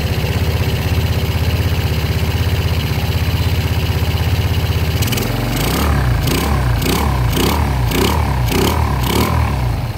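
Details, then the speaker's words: Yamaha Jupiter Z single-cylinder engine, oil refilled and oil confirmed reaching block and head; catches straight away and settles into a steady, even idle with no knocking, now very smooth unlike the earlier noisy engine. "suara motornya sangat halus apa sangat halus kembali beda dengan sebelumnya ya"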